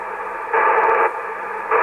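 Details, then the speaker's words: ICOM IC-726 transceiver with dead spots in TX and RX: hiss stays low, then jumps louder as the frequency is swept with gain turned down; PLL/VCO fault suspected. "you hear a point where the static goes up. And I could bet that if we try to transmit in the area where the static is quite low, that we really don't see any."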